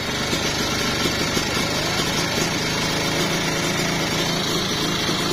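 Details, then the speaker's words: Kawasaki Ninja 2-stroke after installing a bored-out (OB) cylinder block, spark plug tightened, filling radiator while running: steady even high-pitched buzz at idle with no knock; runs smoothly, though owner notes noisy bearings. "busi udah dikencengin udah ya tinggal hidupin halus banget nih suaranya nih"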